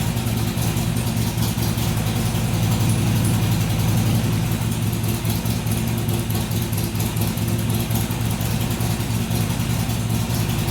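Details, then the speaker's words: Harley-Davidson XR1200 V-twin cold start after throttle body leak fix, idle settings reset to stock: less over-rev, but idle hunts between about 1,000 and 1,500 rpm; surge cause still unknown. "better but not a complete success it didn't over rev near as high when it started so the throttle was definitely leaking but it's still you heard it would it would settle down to about a thousand RPM then it would go up to 1500 drop back down and go up drop back down"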